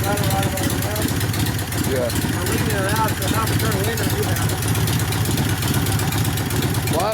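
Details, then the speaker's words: 1972 Harley Sportster XL Ironhead kickstart bobber after reversed plug wires were corrected and timing set; before, it spat flame from the exhaust and carb and wouldn't start. Now a loud, lumpy V-twin fast idle with throttle blips, firing steadily. Runs normally. "Plus it didn't start, so once put it correctly, obviously it lights right off like it's supposed to. Perfect."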